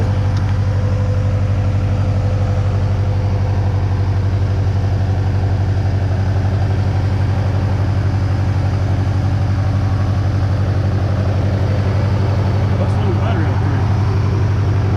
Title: rod knock tic tok will it put a hole in the block